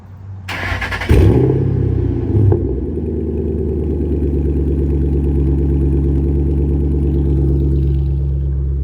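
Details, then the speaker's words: Car after X-pipe leveled and exhaust rub fixed, startup check: quick crank, catches at once, loud steady idle with no ticking or puffing; no exhaust leaks, starts and runs fine. "So loud, it's kind of hard to tell. No, nothing leaking. Feels good."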